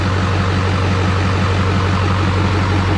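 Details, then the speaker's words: LLY Duramax diesel first start after new turbo, exhaust and intercooler, no coolant yet, MAF sensor unplugged; intake sound audible because it is not hooked to intercooler; steady even idle clatter, smooth rumble, no knocks, nothing abnormal; normal idle. "don't normally hear that on a diesel because everything's hooked up and it's muffled through the intercooler and the turbo and all that kind of stuff sounds good like i said nothing abnormal"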